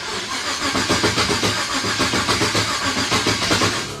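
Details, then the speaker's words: 1923 T-Bucket kit car, carbureted, started cold: long, uneven cranking at about four beats a second before it finally catches and settles; hard cold start, owner doubted it would run in the cold. "She don't like the cold, so I doubt it's going to want to run."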